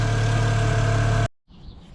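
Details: Car with a dead battery being started using a portable 3500A jump starter: steady, even idle hum with no ticks or stumbles for a second before it shuts off; engine running fine.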